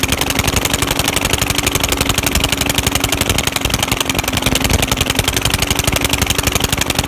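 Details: Old lawnmower engine revived after sitting, running with its crusty muffler removed: loud, raw, rapid crackling exhaust barks over a fairly steady idle; head gasket known to be bad. Running without muffler.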